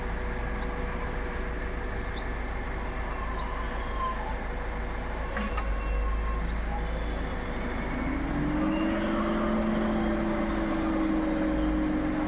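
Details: Toyota Innova Hycross: a single sharp, pronounced tock each time the AC compressor engages, then a new steady hum joins the running engine; owner asks what the cause is. AC compressor clunk on engagement.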